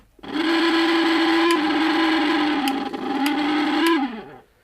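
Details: Mixer grinder motor running on a test board before repair: steady hum with a rattly edge and sharp clicks, then winds down; loose motor with worn packing.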